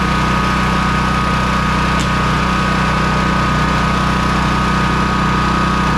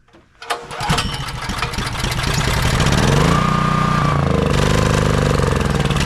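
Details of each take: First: Honda EB3800X generator, GX240 8 hp engine, after carburetor replacement; the governor had been sticking and high-revving, and the idle was slowed to about 125 volts: steady, even hum with no hunting or misses. Normal governed idle. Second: Honda EB3800X generator with GX240 8 hp engine that won't start or stay running; catches but speed sags and hunts, barely holding on choke; faulty carburetor, later replaced.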